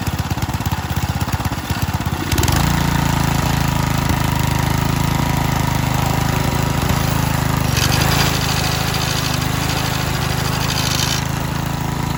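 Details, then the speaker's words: Power Trim edger with a Briggs & Stratton 3.5 hp L-head, after a carb/tank swap from a 2005 motor, a new cylinder head and gasket, and a linkage repair. Pull-start clatter, then a steady, even putter. Running healthy. "yeah so it starts so in total uh because the carb was bad i changed it to the newer version"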